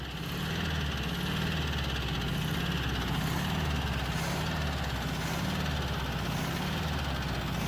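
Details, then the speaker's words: Abandoned 1967 VW Beetle engine after the valve train was corrected: steady low idle with a dull rhythmic knock on cylinder one, pulsing through the carburetor. Throttle response much better, otherwise seems healthy; knock cause not confirmed. "you can hear that knock definitely on cylinder one it's pulsing through the carburetor pretty bad too"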